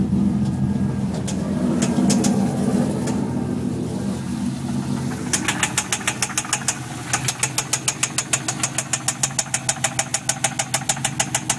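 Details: 6-litre L76 V8 Holden Thunder ute at idle, noise appeared suddenly the day after purchase: sharp, regular knock about three times a second standing out over the engine; cause unknown.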